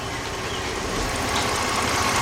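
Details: 2003 Jeep Liberty Sport 4WD, 3.7 V6, 133,000 miles, after a partial engine rebuild, no check engine light and temperature good. Even, steady idle with a smooth mid-pitched hum and no knocking, tapping or misfire; healthy.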